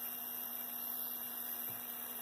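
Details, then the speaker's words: Athearn Blue Box F45 model locomotive, 280 motor tested at 14 volts on the bench before the bearings are oiled: thin steady high whine over a low hum at constant speed, drawing about 0.049 amps. The bearings are running dry. "Let's do this without oiling the bearings and see what happens. See what kind of changes we can get from this."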